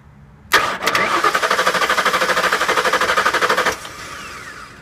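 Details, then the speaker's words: 1998 Ford Expedition, no start since replacing the GEM module; starter solenoid suspected not at fault: starter spins in quick, uneven pulses about three a second for three seconds, then stops; engine never catches. "that's it it's it never fully cranks so I don't know what that means"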